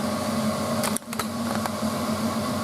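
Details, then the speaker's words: Frigidaire FSD28 spin dryer with a direct-drive induction motor, spinning at about 2,800 rpm; steady high-speed hum with an even whirr and a brief dip as water is flung into the outer casing; running smoothly. "And when you hear that sound, that's the water being flung out."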